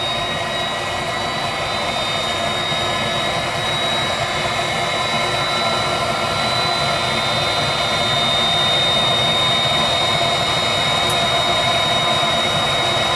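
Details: Viessmann Vitodens 200-W WB2B35 condensing boiler, built about 2011, in service about 5 years: only steady fan whir and circulator pump hum with a thin whine, no burner roar. It is stuck in its hung non-heating state, no fault codes; cause unknown.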